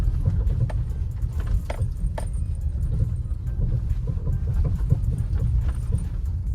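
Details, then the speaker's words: Maruti Suzuki Brezza driven over rough ground and bumps, quiet on the highway: sharp irregular clunks over low road rumble, a suspension knock. A cut lower arm bush is strongly suspected, with the lower arm to be removed. "ये जो खटखट बज रहा है ना यही sound है। इसी साउंड के चलते ना इसका लोअर आर्म खुलवाएंगे। वैसे तो भाई 100% कंफर्म है कि इसका बुश कट ही चुका है।"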